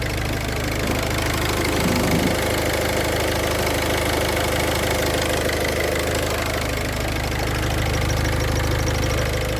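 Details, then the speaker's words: Idling engine with a light, fast cricket-like chirping and rattle, about three a second, checked with the clutch pedal pressed and released: damaged balls in the worn clutch release bearing. "Le bruit semble provenir de la butée d'embrayage , ok, ok, éteignez-le !"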